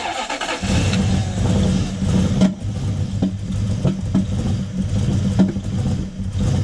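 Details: Toyota 1UZ-FE V8 hot rod, first start after years sitting, with fuel system sorted and oil pressure primed: catches and revs unevenly, uneven thumps and lumpy idle over a low rumble; runs rough.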